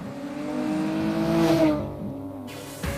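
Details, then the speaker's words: Volkswagen Golf 3 VR6 on a road test after work, with gears shifting smoothly. Smooth, muffled, rounded engine note that climbs and eases evenly with the throttle, no knocks or whines. A healthy, round, quiet engine under load. "Et puis le bruit, il est bien feutré. La sonorité de ce moteur est quand même assez rond en fait. Rond et efficace, et tout en étant feutré et discret."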